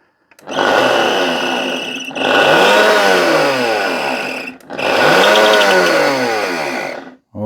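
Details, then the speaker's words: Charity-shop blender run at speeds and pulse: three harsh bursts screaming up then winding down, rough and rattly with vibration and hot motor smell; top bearing suspected gone, possibly liquid past the seal; scrapped. "that's a cacophony of horrible motor sounds. I'm pretty sure the top bearing's gone. It may have got liquid down past the seal and it vibrates and it sounds terrible."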